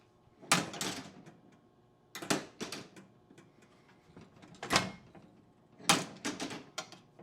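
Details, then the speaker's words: Gottlieb 1957 Royal Flush pinball, normal scoring relay operation: sharp clusters of clacking relays and stepper clicks between scores. At game end, after all balls are lost, the wheel spins and a click sounds in the back. "You heard that. The wheel spins and you hear a click in the back here."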